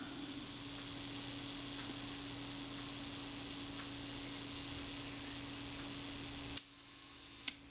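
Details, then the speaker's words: Kodak Retina IIIc during service, after shutter adjustment: thin, steady high buzz of the self-timer escapement running down evenly, then a crisp shutter click; self-timer and shutter working normally. "and then the shutter releases so that's all happening that's working nice and smoothly"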